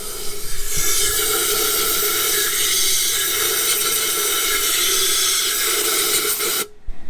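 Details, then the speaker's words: Jeep Gladiator Mojave (2020 or 2021), AEV 2-inch spacer lift, 37s, hydrolocked: steady loud compressed-air hiss through the plug holes, spitting water out of the cylinders. "just waiting for the compressor to build up some more pressure so we can actually keep blowing"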